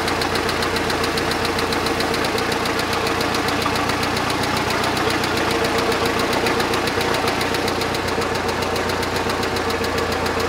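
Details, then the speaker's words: Budget boat engine, which failed after about an hour and a half on its first lake trial and was then repaired, running steadily: sharp regular ticking returns and hardens into an intermittent knock; owner suspects a bearing or two destroyed again. "the ticking came right back and it turned into a knocking and it's coming and going, so I think we re-destroyed a bearing or two."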